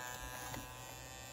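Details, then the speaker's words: Energizer laptop power pack USB-C portable power station cooling fan: steady high buzz with fine rasp over fan hum; cooling fan buzzing, owner suspects something touching the fan blades. "there's a weird noise i think there's something touching the blades of the cooling fan because when you turn it on you can hear that"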